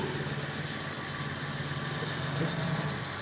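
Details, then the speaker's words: Calya/Sigra idling after alternator (dinamo ampere) removal and refit for battery warning light and heavy steering: steady even hum, no knocks or whine; charging reads 14.9 V, normal. "coba kita starter ya setelah hidup ternyata 14,9 ya mas bro berarti normal berarti dinamo ampere yang normal itu harus di atas 12 volt pengisian"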